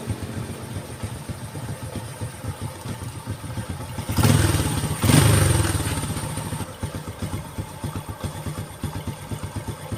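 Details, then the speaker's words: Honda Karisma after carburetor air screw adjustment (previously hard morning starts, no idle, fuel leaking past a membrane into carb): low, even putter at slow idle with one brief blip, no misfire; starts instantly, now normal. "Oke Guys ini udah normal banget ya Enak enggak ada brebetnya sama sekali dan di starter juga langsung Jeng hidup suara langsamnya juga enak"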